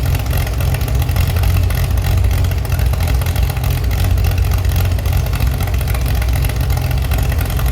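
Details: Chevy SS under restoration, engine restarted after the owner lowered the fuel level to fix a mistake. Deep, even idle with clean, quick rises in revs, no knocks or misses: healthy engine, very good reaction.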